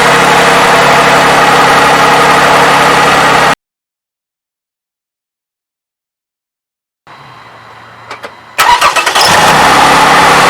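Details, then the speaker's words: Toyota 3.5L engine, 170,000 miles, after graphene oil additive for the valve-advance timing clacking: smooth, even idle hum with no ticking or clatter, then a quick crank and restart; normal idle. "but hey to me this looks like a success never heard this engine so quiet"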